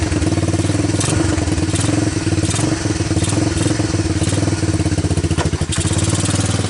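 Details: Honda TRX250 ATV single-cylinder after diesel-contaminated fuel was dumped and fuel fed from a bottle, choke on: steady idle thump with only slight unevenness, keeps running on its own; normal idle.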